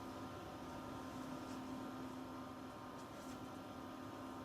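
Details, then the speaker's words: Home backup power inverter supplying 380 W: low steady hum with constant mid tone from its cooling fan, no rattles or speed changes; normal fan operation under light load. "і послухайте будь ласка яким чином гуде ця штука тобто яким чином гуде ось цей вентилятор"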